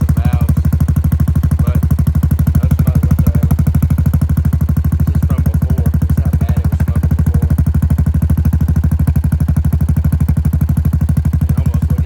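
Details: 2017 Honda Foreman Rubicon 500 IRS 4x4, first start after a top end rebuild with new rings and a flushed bottom end following submersion: an even, steady single-cylinder thump at about three beats a second with no misses or knocking.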